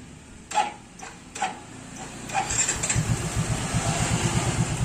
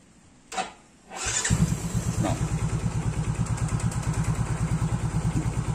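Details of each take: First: Motorcycle started with its old spark plug fouled from Pertalite fuel: three short starter bursts fail before it catches and idles unevenly; hard starting, unlike with a clean new BRZ AR12C plug. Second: Engine fitted with a clean BRZ AR12C spark plug: catches almost instantly on the starter and settles into a quick, even idle with no stumbling; starts easily, unlike with the Pertalite-fouled plug.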